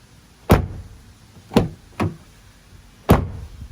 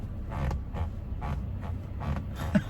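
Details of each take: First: 2020 Toyota Tacoma doors shut one by one: four deep thuds each dying away cleanly with no buzz or rattle; solid door close, nothing loose inside the doors. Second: 2020 Toyota Tacoma seat: dull creaks and rubs as weight shifts in the seat, heard only with someone seated; the seat is contacting and rubbing against the center console.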